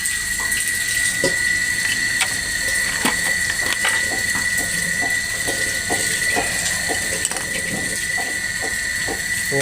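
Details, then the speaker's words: PDC stun device connected directly to battery with 200 W lamp load: output current absent, on/off relay clicking rapidly over steady high whine; shorted driver track and blown output MOSFETs. "Arusnya tidak keluar. E untuk ini relay-nya. Relay. Relay di bagian on off-nya ini bunyi cetek-cetek."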